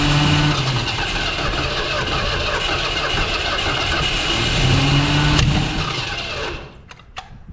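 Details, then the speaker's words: 1970 Ford Mustang Mach 1 after 40 years sitting, some new engine parts: cranks and catches roughly, stumbling and revving unevenly a few seconds before dying; rough, hesitant first start. "let's go should we try again should we see if we can get it to do a little bit better what do you think"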